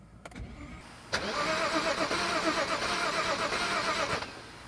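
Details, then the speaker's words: BMW 535xi E61 wagon, probably sat for a while, first start attempt with a used, reprogrammed MSD81 DME replacing the water-damaged one: about three seconds of steady starter churn, never catches; crank no start, owner fears bad fuel. "Oh boy, it's probably been sitting for a while. I hope the fuel isn't that bad. It says it has fuel though."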